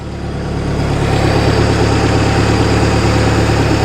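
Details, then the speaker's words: Boat inboard engine during winterizing, warm at about 160–170°F: even steady low rumble at a slightly fast idle about 1,000 rpm, no misses, knocks or surging; running healthy after rebuild. "It's actually running pretty good. My RPM here says it's running at about 1,000, probably a little bit fast."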